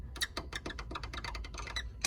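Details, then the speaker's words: Tesla Model 3 upper control arm ball joint, worked back and forth. Quick dry, chirpy creaks about five a second; the joint has no grease left and causes the squeaking suspension. "and this is the culprit this is what's squeaking you can hear there's no more grease in"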